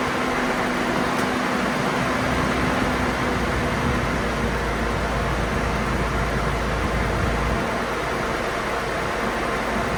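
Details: 2002 GMC Envoy with code P0495 and a jet-like cooling fan roar from a bad fan clutch, now running after the fan clutch replacement. A steady engine run under an even, airy fan rush, with no roar rising with revs; the fan sounds normal.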